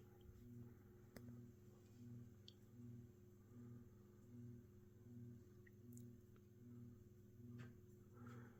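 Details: Mid-to-late 1980s Saff Enterprise Flush Polo 52-inch three-speed ceiling fan on low, one blade struck and misaligned: quiet low hum swelling roughly once a second as blades turn, faint rumble; motor hum more noticeable than mild bearing noise.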